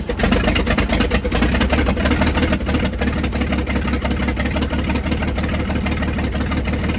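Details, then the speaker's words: Old International winch truck started after long sitting, fed fresh gas via mechanical fuel pump to carburetor; rough uneven idle with sharp rapid puffing ticks, suspected bad exhaust leak; air pressure building. "I don't want it to get too hot, but it also sounds like it's got an exhaust leak pretty bad, so I have to look into that."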